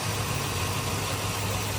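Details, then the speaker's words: 2005 Chevy Silverado idling after a new accessory drive belt, pulley and tensioner replaced the old cracked belt that squeaked: a smooth, constant hum with no squeak. The belt is on correctly. "Let's see if she still squeaks and if the belt's on correctly. No more squeak."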